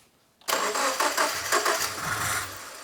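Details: Subaru with a freshly rebuilt STI EJ20 short block, reinstalled, first start attempt: steady pulsing starter cranking for about 2.5 seconds with no firing or pickup; turns over but won't catch. Coils possibly backwards was suggested, unconfirmed.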